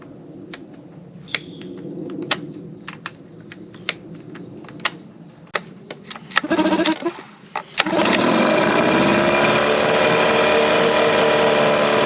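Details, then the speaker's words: 2003 Mercury 15 hp outboard, first startup in test tank after restoration for shifting and running issues: sharp irregular pops and cracks while catching, then settles into steady run; backfiring on startup. "so Sally the engine was backfiring right there"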